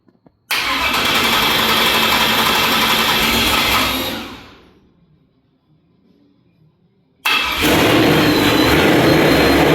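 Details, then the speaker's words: Truck engine, start with the radiator filled and bled, before a break-in drive for the rings: it catches, runs steady, fades out, then restarts and settles into an even run with no knocks; healthy. "So, we're going to start it up, let it run for a few couple minutes maybe. um make sure nothing's wrong"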